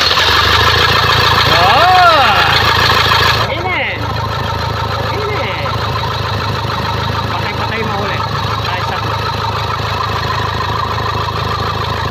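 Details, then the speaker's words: Toyota Fortuner diesel, towed in with a no-start and repaired: after the start it settles to a quiet, steady, even idle with no misses. The check-engine light is still on only because the sensors are not yet plugged in. "Sige start Ayan po ah umaandar na yung ano tahimik na at ah maganda na yung Menor"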